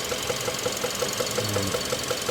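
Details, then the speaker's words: 2016 Kia Optima GDI, 78,000 miles, code P1326 with limp mode, sharp metallic knock about five per second at idle from lower left near pulleys; oil was dirty and low, owner unsure if lifter, rod or bearing. "The oil was dirty and low, so I don't know if it's a lifter rod, knock, or bearing noise. I hope it's not that bad."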